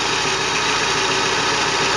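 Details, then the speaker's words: GAZelle with a 4216 engine, after repair of a front knock traced to the camshaft/shaft area, now being warmed up. Steady, even idle with a smooth hiss and no tapping or knocking: normal idle, noise gone. "Вот и всё, Gazelle запущена. Шум прекратился."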